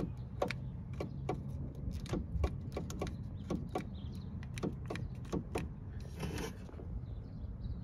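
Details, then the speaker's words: BMW E30 power window: wiring and switch show continuity. Pressing the switch gives repeated sharp clicks and a faint low hum, motor trying to run but glass not moving. Mechanical binding, possibly at the teeth, is suspected. "so with it connected back up when i press the buttons you could hear the motor trying to run"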